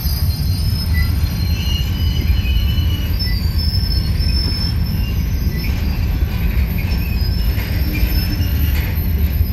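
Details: Union Pacific 6644 freight train leaving Mesa Yard: heavy rolling rumble with faint intermittent high wheel squeals; squeaking and clanging made it stop, cause not stated, later fixed.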